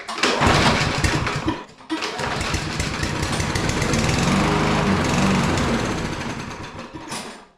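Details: Push mower pulled from the trash with its gas cap left open, dirty oil and a filthy air filter, tried on carb cleaner. It fires and runs rough about five seconds, then fades and dies as if fuel-starved. Cause suspected, not confirmed.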